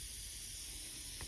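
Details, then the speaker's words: Homemade boost-controlled fuel valve for a turbocharged bike carburettor, bench-tested on air: steady high airy hiss of air leaking past the valve pin, which in use feeds air down the tube to the carburettor. "you may be able to hear it but there's quite a bit of air actually leaks past the pin which would in use be leaking down this tube here going to the carburetor"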